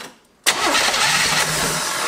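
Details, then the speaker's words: 1973 Chevy Nova after a barn fire: new starter, cranking briskly and steadily with no drag or clicking. Cranked before any fuel was supplied; the owner says it wants to start. "Oh she wants to start already."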